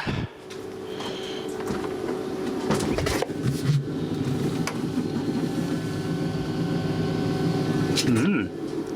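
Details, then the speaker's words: Salvaged Evakool 12 V fridge-freezer compressor being recharged with refrigerant; steady hum with a rough sloshing, gurgling undertone, sounds full of water or liquid; system suspected compromised or leaking. "sound good at all sounds full of water yep that sounds full of water yeah that's not a good sign"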